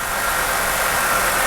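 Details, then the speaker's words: 1985 Jeep CJ7 4.2L 258 inline-six newly converted to throttle body fuel injection, after the start-up flare: steady, even idle settling toward 650 rpm with a smooth whirring hum and no misses or knocks; normal idle. "now once it once it runs a little bit it'll come all the way down to that 650 RPMs"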